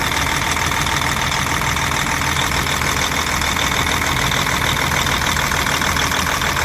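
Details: DAF 105 truck diesel, 600,000 km, came in knocking with booming into the air filter, after valve cover and rocker shaft work: steady, even idle with a smooth, unchanging beat and no knock standing out; normal, healthy.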